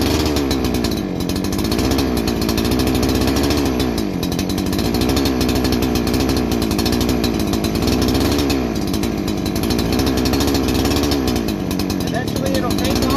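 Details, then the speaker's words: New Holzfforma G288 88cc chainsaw (Husqvarna 288 copy), 24" bar: idle hunting, revs rising and sagging every couple seconds; air leak from a badly seated clutch-side oil/crank seal. "but as you can see it's all over the place with that idling i got that i got past the bogging and everything but the thing is idling erratically just everything every part of that is mimicking that of an air leak"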